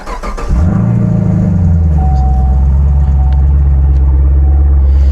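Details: Chevrolet Camaro SS with new lithium battery fitted at 13.22 V: brief quick crank, then the engine catches cleanly and settles into a steady, even idle; strong healthy start.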